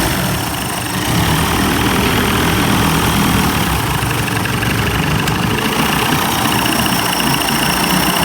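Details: 1990s 30 hp Evinrude two-stroke outboard with suspected fuel delivery problem, after carburetor rebuild: steady idle with a slightly uneven, wavering beat but no stalling, a bit rough; fuel leaking at primer and carburetor gasket.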